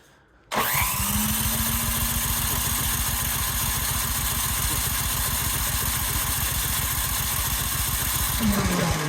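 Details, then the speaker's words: Cub Cadet 528 snowblower on electric start (extension cord, push button), choked, primed repeatedly, key in, throttle on fast (bunny): starter churns steadily about 3–4 beats/s for eight seconds, never fires; no fuel getting through, owner suspects plugged carburetor jet. "H interesting. I wonder if my uh jet also is plugged up on the carburetor. Although it should still start with priming H."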